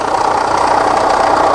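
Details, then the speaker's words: 2006 Kia Sorento with multiple misfire codes (P0300, P0301, P0303, P0305) and a raw-fuel smell: a busy, fast clattering rattle over the idle. The very loose timing belt is dancing and rattling against something; an external timing component failure, not internal engine damage. "I think what we're hearing is the the belt here rattling up against something"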